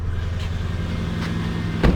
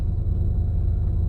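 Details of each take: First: Lexus LS430 air suspension compressor after new compressor bushings: faint, steady low hum with no knocking, rattle or whole-car vibration; barely heard from inside the car, running healthy. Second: Lexus LS430 air suspension compressor running: deep, steady low hum and drone felt as the whole car vibrating and shaking; worn compressor mounting bushings, to be replaced.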